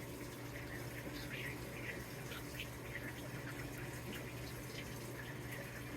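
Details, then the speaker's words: New Samsung WA50R5200AW 5.0 cu ft washer on first load after calibration: steady hiss of water pouring into drum over low even hum; normal water fill, appears to fill all the way again. "it does look like it's going to fill it up all the way again"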